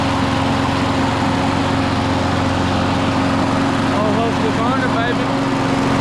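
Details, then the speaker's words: Husqvarna mower single-cylinder engine, a no-start fixed by replacing the carburetor and air filter after old gas. Now holds a steady, even drone with no misses or surging. Normal running. "$30. We back running. See how simple that is, people?"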